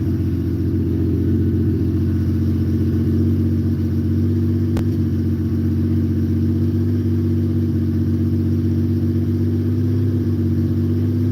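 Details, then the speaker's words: Carbureted six-cylinder Honda motorcycle after a cold start following weeks unused, once all six float bowls have filled. A steady, even low idle with a smooth hum and no misses or knocks; it is running cleanly. "got 6 of them to fill, you know. Yeah, she's happy now."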